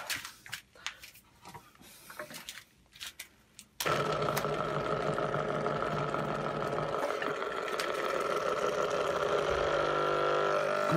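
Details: Washing machine drain pump tested on the bench: starts with a harsh, rough hum and rapid regular ticking; the pump is worn, with play in the shaft.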